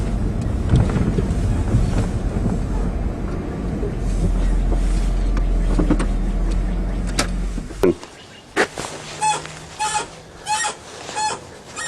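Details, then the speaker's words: Chrysler Sebring after rear strut mount plate repair, driving: rhythmic high rubbery squeak about five times as the suspension moves; traced to a dry upper control arm ball joint above the spindle, then lubed and fixed. "might have a dry ball joint or something or control arm bushing I'll have to jack it up again and maybe give her a squirt a Lube"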